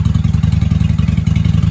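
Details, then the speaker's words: 1995 Honda Shadow 600 VLX VT600CD V-twin, running after fuel leak work with pinhole still to fix, in shop: deep even pulsing exhaust beat, steady firing as revs rise, no misses, clatter or knocks; "sounds good for a little 600," healthy revving. "I'll tell you what, she sounds good for a little 600."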